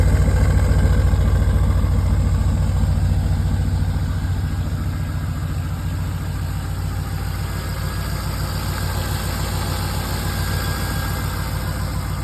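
A V8 idles with a deep, even burble and no ticking or puffing from the exhaust.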